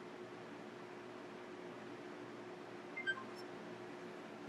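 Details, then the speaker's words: Xbox One S after teardown and reassembly: it powers on with one short beep and a faint, weak fan spin-up, then nothing, so it beeps but fails to boot. The owner suspects a motherboard fault, which is unconfirmed. "the fan does start to spin up ever so slightly but isn't actually uh work so that's something I want let's something with the motherboard"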